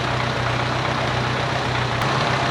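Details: 1951 Farmall Cub tractor after carburetor cleaning, fresh fuel and rewiring: low, even idle with a steady beat and no misses or knocks; runs cleanly, strong oil pressure, "these motors just purr."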